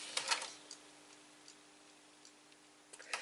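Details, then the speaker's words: Technics SL-PG480A CD player, bought as not working: faint ticks and clicks over a quiet hum with no spin-up as the laser pickup moves back and forth seeking while the disc does not rotate. Disc mechanism fault. "I can hear the heads move back and forth trying to read the CD but since the CD is not uh running um yeah there's of course it won't disc discover a dis let's say so yes there's a problem with the mechanism"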